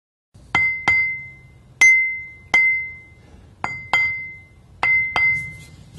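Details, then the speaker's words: Grinding wheel ring test, hung and tapped about 45° either side of the centre line: eight light taps each giving a clear, lingering bell-like ring, so no crack; a cracked wheel sounds dead. "then turn the wheel 180° and repeat the test just to be sure you can clearly hear the ring when we tap this wheel so it doesn't look like it has a crack"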